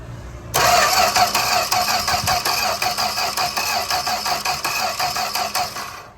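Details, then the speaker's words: 1965 Plymouth Barracuda slant six, parked since 1994, with gas poured in the carburetor: steady starter cranking at about three beats a second with no firing at all. Cranks but won't start. "It's not acting like it's wanting to fire."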